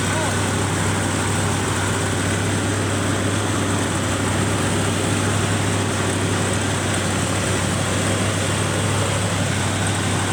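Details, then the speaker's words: 1971 Chevrolet C20 with a swapped-in 454 big block, just started with poor battery contact: low, heavy, lumpy, uneven idle. The owner says a vacuum leak at the carburetor base is the cause and plans a match test to confirm it. "That thing, not idling worth a poop. It's got a vacuum leak at the base of the carburetor."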